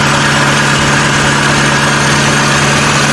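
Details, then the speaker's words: Hyundai petrol car at idle after repairing ignition coils for a misfire: smooth even steady hum with no stumbles; misfire gone, power fine. "Power's perfectly fine, no miss anymore, she's all good."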